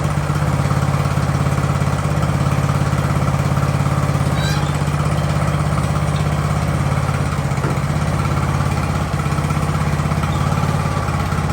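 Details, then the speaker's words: Ariens riding mower with hydro drive, free junk unit sat about two years, jump-started in about 30°F cold: steady, even low putter with constant revs and no knocks or misses; normal warm-up idle. "all right it was nice to let it warm up because you should never just fire it up and go especially when it's this cold"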